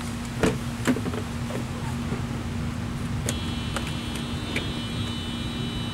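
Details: 1987 Mercedes-Benz 300D diesel after installing a Hushpower Pro 3-inch muffler on 3-inch pipe from the catalytic converter: even, steady low drone with constant pitch, no knocks or rattles; healthy diesel with a deeper exhaust note.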